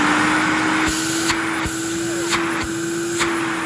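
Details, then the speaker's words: 1984 Electrolux Diamond Jubilee vacuum running: steady motor whine with rough gritty undertone and faint irregular ticking; worn motor bearings, noticeable but not severe, good suction, owner plans to repack or replace them. "i gotta replace the bearings on it too because they aren't the nicest sounding but they aren't too bad um i'll give you a little listen here"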